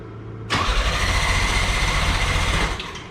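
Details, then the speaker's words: 1987 Pontiac Fiero GT 2.8L with a swapped carburetor intake: starter churns steadily about two seconds and never fires; crank no start, owner blames unadjusted carburetor; float needle later found missing its clip. "it just doesn't start good like that more it's just the carburetor is not adjusted"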